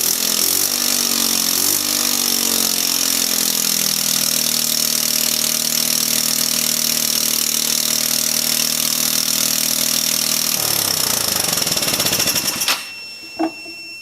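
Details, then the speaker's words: Volecity 150cc scooter, yard find long unused, run on carb cleaner sprayed into the carburetor: small single fires and runs ragged with hunting pitch before dying; not fuelling on its own, large leak noted. "can see that probably the first time that thing started in 34 years maybe longer so it does run"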